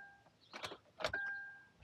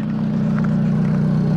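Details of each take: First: Kia Rondo with no-start complaint, diagnosing power and ground with wiring diagram; a couple of clicks and beeps, then the starter churns steadily over a second without catching: crank, no start. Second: Kia Rondo with a crank no-start, running after a blown 25 A fuse for the bank 1 and bank 2 sensor 1 oxygen sensor circuit was replaced; steady even low hum, smooth regular firing, no knocks or misses.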